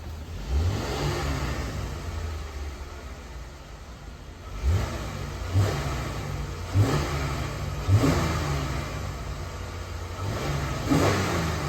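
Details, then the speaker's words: Dodge Ram 1500 that broke down, check engine light on, being revved: blips up sharply about every second and drops back cleanly, motor not shaking, no stumble or skip; no misfire, owner suspects fuel filter, fault unidentified. "the truck sounds good motor not shaking I don't even hear a miscar enough for me to even check the core"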